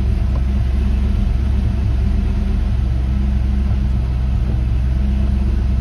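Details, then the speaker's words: 1989 Saleen Mustang Foxbody V8, first start in over 11 years, after the hunting idle problem was fixed: even, steady low rumble, speed holding constant but a little high, possibly needing adjustment. "Purist, as you can see, it idles like it's supposed to now. It's a little high."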